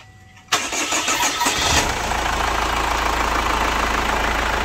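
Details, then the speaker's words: Chevrolet Captiva FL diesel after turbo-line and fuel-system cleaning, original cartridge refitted, actuator reset, VGT reinstalled and injectors serviced: short crank, quick catch, smooth steady idle without the former turbo growl or idle smoke; fixed. "Nah untuk kasus Turbo yang ngoruk ah hilang Kemudian untuk tenaganya yang berat dan mobil sudah kembali enteng dan tidak berasap lagi di saat idle"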